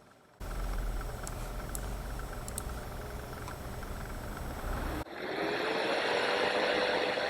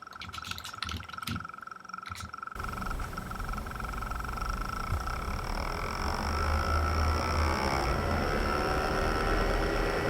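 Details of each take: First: iMac fan manually run up to maximum speed: a smooth, steady whoosh with no rattle, a normal fan. The optical drive fan was the one with failed, rattling bearings. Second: iMac fan run to maximum speed with fan-control software: rough, rattling whoosh from a failed bearing in the optical disc drive fan; the other fans run smooth.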